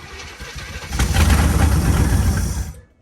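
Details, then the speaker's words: 1965 Acadian Beaumont V8 with only a little fuel poured into the carburetor. Fires on a few ragged beats for about two seconds, then dies. Likely starved of fuel, not confirmed. "That sounds good. If it had more than a pinch of fuel in its system, it'd probably run."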